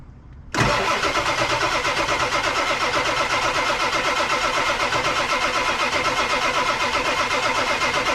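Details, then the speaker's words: Abandoned 1999 Ford F250 Super Duty 7.3 Powerstroke diesel, sat over six years, cold start: steady cranking about four beats a second with uneven pops as some cylinders catch, never runs; cause not yet known. "I heard the the definite change in Cadence at least it's hitting all the cylinders off compression it sounds like the mirror Motors working but it's not moving"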